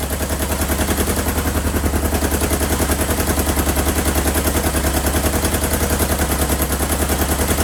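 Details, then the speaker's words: 1977 Kawasaki KZ650/Z650 B1 four-cylinder, first long run after much tinkering, carbs not yet synced, air box off: loud lumpy idle with uneven beat and missing pulses; sounds like one cylinder not firing, its pipe cold while the other is warm. "hopefully get these carbs synced but it sounds like a cylinder isn't firing yes this this pipe is warm this pipe is cold"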